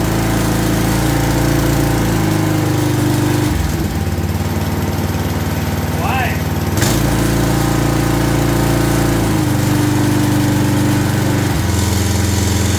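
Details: Craftsman 22-inch walk-behind string trimmer bought non-running, after cleaning and priming bulb: small single-cylinder engine catches and buzzes steadily, pitch shifting with throttle; starts and runs fine.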